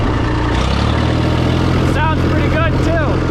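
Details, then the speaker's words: International 454 British three-cylinder diesel tractor that missed when first started: steady, even low chug at idle with no skips or stumbles, hitting on all three. Normal idle; a dirty air filter caused the miss. "Let it idle down. Yeah, you can hear it's hitting on all three."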